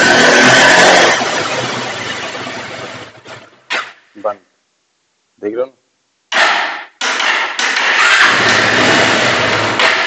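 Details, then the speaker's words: Bajaj Pulsar 180 BS4 motorcycle, live demo of the original fault: it runs fine above 4000 rpm but shuts off once rpm drops below 4000; the note sags and dies, then several short cranking bursts before it catches again; hard starting and stalling. "और जब 4000 नीचे RPM तुरंत नीचे आ रहा है यह तुरंत है बंद किया हुआ जा रहा है।"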